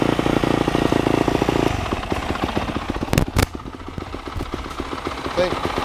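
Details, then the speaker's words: Lazy 250 dirt bike idling after a choked start: quick, even exhaust pops about four a second hold steady; idle good, bike loud, exhaust tip banged up; normal idle. "idle's good. Bike's loud. It's loud."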